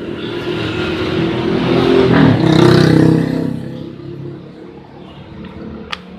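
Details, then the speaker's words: Suzuki Smash single-cylinder after an ignition fix: it revs up cleanly, holds throttle, then drops back to a steady, even idle without stumbling or dying. The earlier rough idle and dying at mid-throttle are cured. "Oke, teman-teman, langsamnya sudah bagus."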